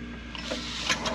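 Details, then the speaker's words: Honda GX160 engine with 1:6 gear reducer on a storage-unit 50 gallon termite sprayer, said to be locked up, pump unbolted: quick pull spins the engine over freely with no binding; not seized. "oh, look at that, just like I thought. The motor's not locked up."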